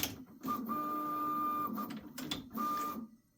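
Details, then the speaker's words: Prusa XL tool 5 docking/undocking after fixing nozzle hitting dock (tape added): clean stepper hum in two short moves, soft clicks, no squeak or drag marks; normal tool change, squeak resolved. "see see if we're any happier with that that sounds way [Music] better"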